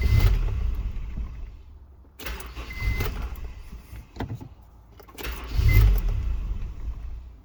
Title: 99 Honda Crv Intermittent No start and Engine CUTOFF